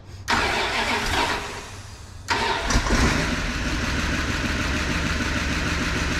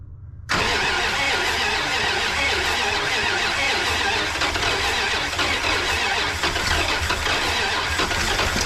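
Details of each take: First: 1988 Dodge Power Ram revived after sitting 23 years, new intake, milky oil but oil pressure, about 35 degrees with coolant in block: cranks, stumbles once, restarts and settles into steady even idle, spitting water from exhaust; runs smoothly. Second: 1988 Dodge Power Ram engine after sitting 23 years, formerly locked on at least two cylinders, new intake fitted, first start with choke; ragged uneven idle with hissy clatter, needs an oil change, but no knocking: rough idle.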